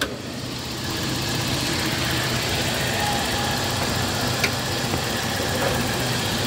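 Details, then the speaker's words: Toyota Kijang LGX 1.8 manual, 2004, heard in the engine bay at idle: steady, even, smooth low hum with no knocks, ticks or misses; normal healthy idle, described as smooth. "Akan kita lihatkan juga, ini mesin posisi nyala tapi suaranya halus"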